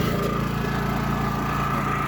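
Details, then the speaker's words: WEN 56380i Super Quiet 3800-watt inverter generator with eco mode off, running wide open: constant, steady engine hum with an even fine buzz and faint high whine, no hunting or surging; normal full-speed running. "Okay, that's eco mode off. So that's running wide open."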